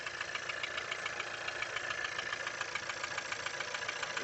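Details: Skoda Octavia A7 1.4 turbo at idle: fast, regular light knocking about three or four per second over a steady idle; engine knock, source not pinned down.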